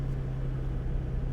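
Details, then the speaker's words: Salvage car at auction walkaround (BMW i3, 2008 Mustang or 2009 VW CC, unclear which) started with key; low, even rumble with steady hum, no knocks or misses: normal smooth idle, engine sounds good. "do we have a key we do have a key all right and we have power here we go and give me a beat engine sounds good"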